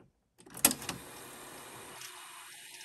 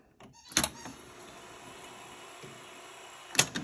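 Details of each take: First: 1976 Sony SL-7200A Betamax player under repair, fast forward retried after a full rewind: a clunk as the mechanism engages, then a smooth, steady whir of tape winding at speed; it started right away, working normally. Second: 1976 Sony SL-7200A Betamax player under repair, tape loading: a thin straining motor whirr between three sharp clacks about every 2.5 seconds as the threading wheel fails to finish turning and needs a push by hand; play still jammed, cause unknown.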